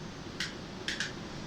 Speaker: hear it clicking and it changes the gears and the gears are where he's pointing now it makes the bike go at the right speed for the right conditions